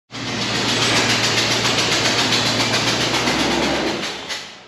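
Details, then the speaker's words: 1996 Land Rover Discovery V8 after fuel pump replacement: sharp rapid ticking puffs over idle, tracking engine speed; compression leaking past head gasket, fixed with new head gaskets and ARP studs. "had a little compression leaking out the side of the head gasket it's not supposed to do that"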